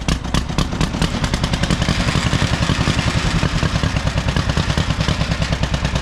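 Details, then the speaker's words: Old John Deere MT twin-cylinder tractor, spark plug wire to the coil pulled and spark possibly jumping or grounding: loud, lumpy chuffing with uneven gaps, running on one cylinder only. "goes yes he's just running on one cylinder there one we want up"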